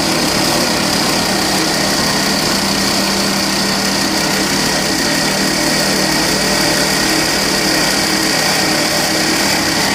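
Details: 2012 Volvo XC60 2.4D D5 AWD diesel idling: dry gritty rattle with thin steady whine from under the hood; traced to a worn alternator pulley bearing.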